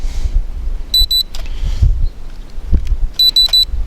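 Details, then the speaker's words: JJRC X1 brushless quadcopter after a 300–400 ft crash from full throttle cut: three quick high-pitched beeps when trying to arm, refusing to arm until powered off and reconnected. "you hear that we hear three beeps and nothing's going to happen so won't arm until you uh shut everything down and plug in again"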